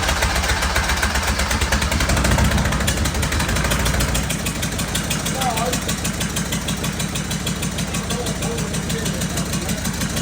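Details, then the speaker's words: Freshly fitted, bled diesel engine in a cheap recovery truck catches and settles into a lumpy idle with a steady chop about three beats a second, helicopter-like; injectors refitted with new seals were found damaged, causing injector knock. "we've discovered that a couple of the injectors that were in this engine when it ran right that we took out did the injector seals put them back in that must have killed them that's why it sounded like a helicopter"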